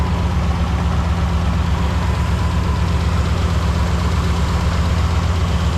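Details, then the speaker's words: 2005 Lincoln Aviator after replacing lash adjusters for a passenger-side top-end knock, oil changed to Motorcraft synthetic with Lucas oil stabilizer; deep, even idle with no ticking or knocking, valvetrain quiet and healthy. "Went ahead and put some Lucas oil stabilizer in it, and then just Motorcraft synthetic, and it sounds awesome, no problems."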